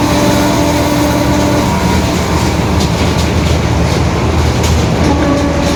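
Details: 2021 Marcopolo Torino S urban bus on Mercedes-Benz OF-1721 BlueTec 5 diesel chassis, extended length, recorded while cruising: steady low droning growl under heavy road rumble that holds with road speed, a worn, growling differential.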